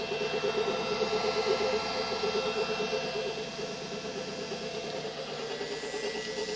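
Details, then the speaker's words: Three-phase motor run from a car battery through an inverter at 15 Hz, drawing about 0.6 A: a steady drone with a faint rough hiss from a worn bearing, plus the inverter fan. It still runs fine. Noisy motor bearing. "now we are running at 15 hertz that's kind of a noisy bearing but it's running just fine you can hear the little inverters fan is blowing"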